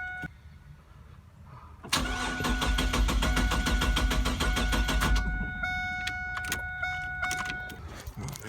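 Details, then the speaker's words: 1999 Chevrolet Camaro 3800 Series II V6, 5-speed manual, twin-turbo build, first start attempt: starter spins steadily about 200 beats a minute for several seconds, never catches; crank no start, owner doesn't know why. "it's not starting and I don't know why yeah I don't know why this thing ain't starting yeah we tried cranking like four times now it almost started"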